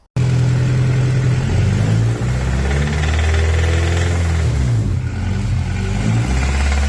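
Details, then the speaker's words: Honda Civic with swapped B18C6 engine: loud rough idle with heavy uneven low clatter; engine suddenly started knocking badly though it ran fine weeks before, cause unknown. "Donc voilà, vous l'aurez compris, le le moteur s'est mis à claquer de ouf sans raison en fait parce que il y a de semaines auparavant, il fonctionnait très bien, il démarrait très bien, il y avait pas de problème."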